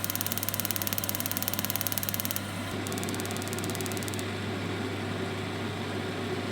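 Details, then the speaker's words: Turbo Max boiler with an intermittent fault that goes to F28, heard while sparking: quick steady ignition ticking over constant fan hum stops, then resumes as it repeatedly tries to light, despite adequate draft; a typical spark pattern. "It's amazing it's got enough draft. That's a typical spark pattern."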